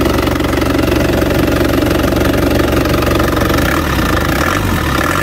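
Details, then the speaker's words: Isuzu Panther LV 2.5 turbo diesel (2010), fairly warm: steady, even diesel clatter holding firm under throttle with no misses, knocks or rough patches; no blow-by, engine healthy. "Lihat bunyinya ini sudah lumayan panas teman-teman."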